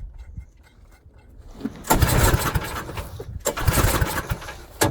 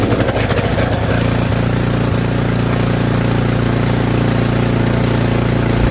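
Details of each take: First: Snowblower small engine after auger belt replacement, at full throttle: catches in uneven bursts, surges, then sputters and dies between tries; owner suspects it is out of gas, fuel starvation. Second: Snowblower engine after fresh fuel was added (about a third of a jerry can, suspected out of gas), during auger belt replacement: ragged first second, then steady even beat and smooth idle with no misses, sounding much better.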